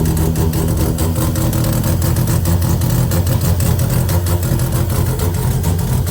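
Deep, lumpy rotary idle with uneven stumbles and a choppy beat instead of a steady burble; it is misfiring at idle, cause unclear.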